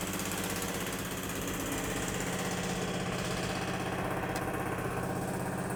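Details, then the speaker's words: 1971 Plymouth Satellite V8 at idle, with a fast, uneven ticking about twice a second. The exhaust leak was traced to the back of the right-side header; the collector gasket was still to be checked. "It looks like it's the side. Found it. Yeah, it's coming from the back of the right side header. That's what I kind of suspected."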